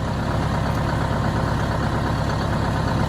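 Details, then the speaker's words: 1971 Insley excavator diesel, sitting since 2000, restarted on jumper cables: deep even idle at about three pulses a second, no knocks or misses, normal healthy idle. "wow this sounds good [Applause] sounds real good"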